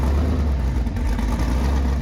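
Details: Sandrail V8 after engine swap, running after crossed wires were corrected, untuned and not yet heat cycled; low lumpy idle with uneven hunting beat, rough running from a major vacuum leak.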